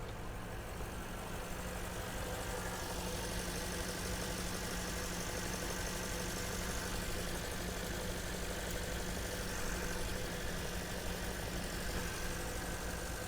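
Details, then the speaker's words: Porsche Panamera heard from outside at salvage auction: steady low idle with slightly uneven, lumpy beat and hiss underneath; running a little rough, suspected vacuum leak, not confirmed. "There is a sound coming from here. some kind of a vacuum leak or something, it sounds like. I mean, it's running a little bit rough, but this is gorgeous."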